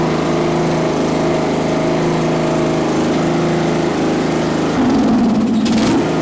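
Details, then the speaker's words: Craftsman LT1000 riding mower, on jumper box with dead battery, full throttle: steady even single-cylinder drone with a brief dip and recovery; normal running. "so I'll give her a Full Throttle with some choke what got to turn the fuel on that might help"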